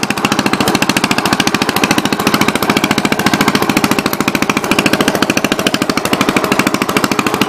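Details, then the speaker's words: 1963 Cub Cadet garden tractor on first drive after clutch rebuild, new shifter fitted, throttle and choke cables not yet connected, driving in gear: crisp, even single-cylinder thumping at a steady pace while pulling; engine runs strong and healthy. "one more third gear oh yeah now we're cooking with gas"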